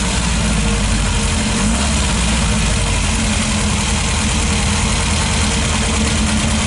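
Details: 1974 Karmann Ghia, several days after starter solenoid wiring repair, catches and settles straight into a steady, even idle with a smooth low rumble and no stumble; starting and running normally.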